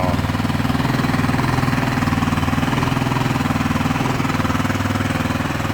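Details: Tomberlin Crossfire 150R buggy on first start after restoration, Nibby carb with JD slide throttle kit, new coil, jetting untested, adjustment screw 2.5 turns out, jump-started: small single-cylinder idling with an even, steady thump about four times a second, no misses; runs healthy.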